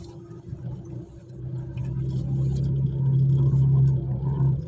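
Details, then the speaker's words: 2012 Mitsubishi Pajero Sport while turning: a low droning groan builds and holds while the steering wheel is turned, then fades; a worn power steering pump is suspected, with the cause still to be checked. "nah ini pada saat belok seperti teman-teman ah ah ini ada suara yang berisik ya"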